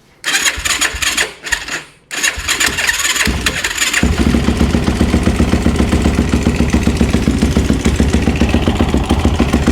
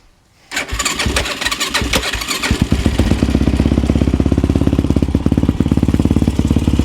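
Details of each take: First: Yamaha YFZ450 with a 480cc big bore kit, engine rebuilt after a blown head gasket, muffler just tightened: a few cranking bursts, then it catches. With the choke off it settles into a steady, even single-cylinder idle thump and starts easily. Normal start and idle. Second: Yamaha YFZ450 with 480cc big bore kit, freshly rebuilt after a blown head gasket, 65 pilot and 175 main jet, idle being adjusted: slightly loping single-cylinder thump at idle; owner thinks the pilot jet may be too big, possibly rich, unsure.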